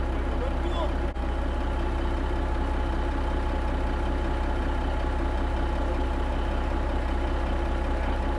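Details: Kenworth K100 cabover diesel at idle after day two of installing an 8-inch miter-cut exhaust: deep, steady idle with an even low pulse and no knocks or rattles from the exhaust; sounds good, runs good, starts good.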